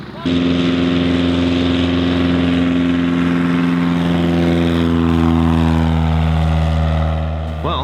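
An even propeller drone with a smooth firing beat, pitch steady and easing slightly at the end; the engine runs healthy.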